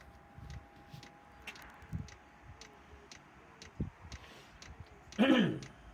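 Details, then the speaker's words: Chinese diesel air heater starting up on old controller, tiny air bubbles passing through fuel line though fittings are tight: light, steady tick about twice a second over quiet background; ticking cause unconfirmed. "Right, straight away it's pumped a couple of air bubbles, only tiny ones. There goes another one, and another one."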